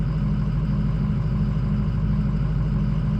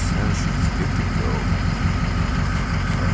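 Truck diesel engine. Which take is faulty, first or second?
first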